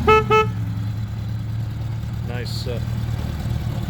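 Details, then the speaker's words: 1977 Honda GL1000 Goldwing, about 13,000 miles, long stored: two short, clear toots with a strong, steady mid-pitched period car-horn tone over a quiet idle; horn works properly. "nice toned bore almost sounds like a cardhorn a period cardhorn"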